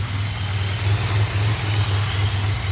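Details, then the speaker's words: 2007 Grand Prix after swapping back to 42.5 lb Lucas injectors, previously running rich with fuel in the oil: smooth, even low idle hum with no stumble, skip or surge; runs much smoother. "It really sounds like she runs so much better now. You'll probably get a smidgen better gas mileage too."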